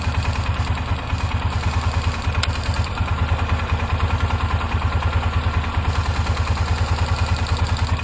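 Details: 2003 Polaris Ranger 4x4 500 after replacing leaking cam chain tensioner seal and gasket with RTV: firm, even thumping with dull low throb at constant idle, no knocks, rattles or misses; about 10 minutes running, no leaks.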